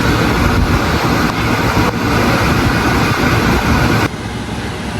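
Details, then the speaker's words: Replacement compressor from another unit, test-run outside a portable aircon that kept shutting off: continuous even hum with steady low throb, running almost 5 minutes without cutting out; normal compressor running. "So, almost 5 minutes lang umaandar hindi pa rin namamatay."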